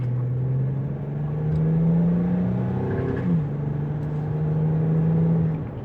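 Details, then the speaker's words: Infiniti G35 after driver's-side wheel bearing replacement, cruising off throttle: only low even road rumble and engine note, previous humming/roaring gone. "and then after as you can see quiet let off the gas let it cruise and it's just quiet so there we go"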